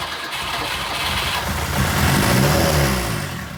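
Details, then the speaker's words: 1997 Lada Niva 4x4, 1.7L fuel-injected four-cylinder, parked over 10 years, before fuel pump replacement: with gas poured into the throttle body while cranking, it catches and revs briefly, then sags and dies; the engine isn't seized, ignition is good, fuel delivery is lacking. "My friend that sold me the Niva came over to give me a hand here and try and get this thing cranked over. This is before I actually purchased and replaced the fuel pump."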